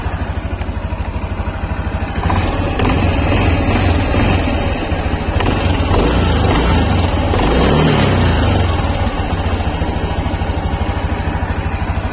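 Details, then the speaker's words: Honda Beat Deluxe 2023 after eight months' use: smooth idle, then with throttle a rapid klek-klek rattle following revs from the CVT, not crank or conrod; loose roller slider caps, CVT teardown advised. "Nah, oke, suaranya ini tadi kayak klek klek klek klek, itu sebenarnya enggak stang shaker atau enggak kruk as. Jadi kalau suara klek klek klek seperti itu, Anda wajib bongkar bagian CVT dan wajib ngecek tutup rollernya."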